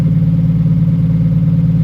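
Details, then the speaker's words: 1956 Ford F100 straight-six, pulled from a barn and running under its own power for the first time in 33 years, being driven: low, even burble with steady firing and no knocks or misses. "and with that bit of work that we did, it actually has moved under its own power for the first time in 33 years."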